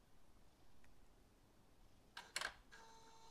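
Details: Audi A2 1.4 16v AUA with the ignition on and the engine off, running a VCDS basic-settings adaptation after throttle body cleaning: sharp throttle-flap clicks, then a faint steady servo buzz. The adaptation is OK.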